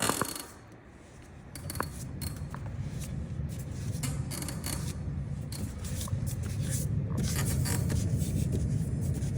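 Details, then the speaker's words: Bus wheel hand-spun in the shop, same bus as a worn kingpin bushing, which had a vibration at 70 mph on the interstate: gritty, uneven rumble with scraping and irregular clicks instead of a smooth whir; failing hub bearing, with a cracked part found. "That is not a pretty sound. Pretty bus, not a pretty sound. This is on a bus going 70 miles an hour down the interstate with a vibration."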